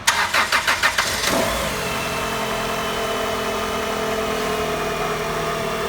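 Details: 2004 Chrysler Sebring 2.0 that came in as a crank-no-start after a new computer and new cam and crank sensors: about a second of rhythmic cranking, then it catches cleanly and settles into a steady, even idle; normal start.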